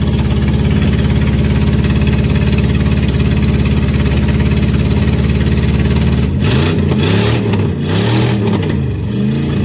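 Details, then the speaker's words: 1989 Dodge Ramcharger 2WD carbureted engine after sitting about 14 years, fuel poured into carburetor: idles with uneven, lumpy beat, revs rising and falling unsteadily; rough running, cause unknown. "yes finally something making some noise he's a little unhappy but i guess that's what happens when he ain't been running the coons age"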